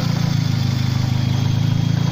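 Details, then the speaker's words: Mercedes SLK 230 Kompressor, M111 engine converted to turbo, idling: fast even clatter sounding like valve train or cam actuator, stops when tensioner pushed; worn hydraulic belt tensioner damper rattle, sorted by replacing tensioner. "where basically you hear a load of what sounds like valve train noise but it turns out to be this hydraulic tensioner so if I push on that no noise let go of it the noise comes back"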